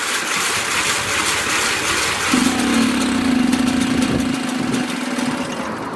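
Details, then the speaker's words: Mobylette X1 two-stroke moped after an engine rebuild. It catches, runs roughly for a few seconds, then dies with heavy smoke. Suspected fuelling issue. "And it stops, and there's a lot of smoke. I think you could pick that up."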